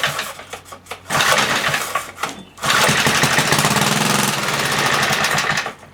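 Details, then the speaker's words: 1976 Briggs & Stratton 3 hp engine on a Tilly rototiller, not run for years, primed with a squirt of 50:1 fuel in the plug hole: uneven popping bursts, rough running a few seconds, then fades; fires briefly then dies. "well we know it will run one more time gotta do it one more time another squirt"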